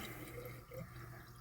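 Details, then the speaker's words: Toilet that won't stop running despite a replaced flapper: a faint, constant trickle of water that never shuts off. The float (fill) valve won't close even when adjusted and needs replacing. "You can hear the water running. Sometimes, if you adjust the float valve, you can get it to stop."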